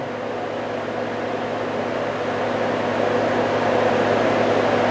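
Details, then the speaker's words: GM OBD1 305 Tuned Port Injection Camaro IROC-Z, key switched on with scan tool plugged into the diagnostic port, engine not running: steady rushing air rising smoothly as the electric cooling fan spins up, no rubbing or whine; fan running normally. "and then see if we can power it up here and here the fan takes off"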